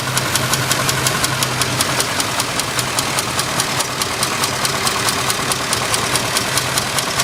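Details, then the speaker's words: Top-end ticking at idle on a Cadillac Coupe DeVille's 7.0L 425 ci engine; sharp light tick about three to four times a second over a steady idle, source not yet found, owner checking with a stethoscope. "uh we'll have a coupe done so will just change the plugs and the wire and I got this ticking noise in here"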